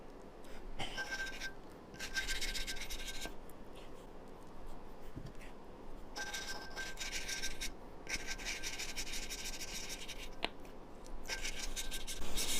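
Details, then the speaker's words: 2007 Suzuki RMZ450 valve lapping by hand with suction-cup tool and compound: back-and-forth scraping about three strokes a second, now soft and mellow rather than gritty, showing the valve seat is nearly lapped smooth. "okay so it's now sounding very mellow there's no perfect way to know when you're done just kind of by sound"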